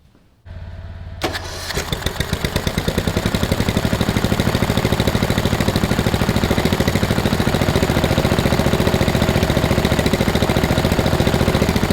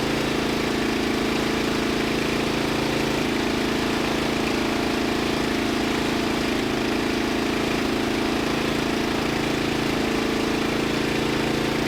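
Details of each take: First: Lowered 2000 Murray LT1000 riding mower on blocks after new exhaust and drive belt: cranks, catches and settles into a steady, even thump that firms up; smooth normal running. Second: Murray LT1000 wide-body riding mower (2000), deck removed and custom-lowered, first jump-started run on starting fluid with the new exhaust: a fast, steady single-cylinder drone that never settles to a low idle; the throttle doesn't return fully.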